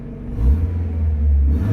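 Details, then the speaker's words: Abandoned Mazda 323 Familia with a B6 twin-cam conversion, first start in 5 years, engine cold: a gentle rev blip picks up smoothly and settles back evenly with no knocks or misses, feeling peppy and sounding healthy. "It's cold, so I don't want to rev it too hard. Ooh. It feels peppy. I've got to give it that."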